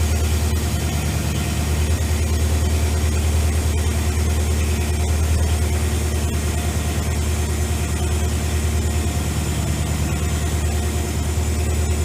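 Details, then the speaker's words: AMC 401 V8 in a Jeep YJ with headers, after heat-soak and oil pan leak work: freshly started idle, oil pressure at 60 and 14.4 volts; deep, even loping beat, no knocks or ticks, healthy and settled. "60 and she sounds good my shop's kind of a disaster right now"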